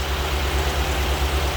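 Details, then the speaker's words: 2008 Chevrolet Avalanche V8 idling after new AFM lifters were fitted, with oil pressure above 40: a low, rumbling idle with a light, quick tick in step with engine speed. A stethoscope suggests it is not a rocker up top, so the cause is still unknown. "But I do still hear the ticky tick tick. Yeah, I can still hear it. Still got us a little tickety tick tick."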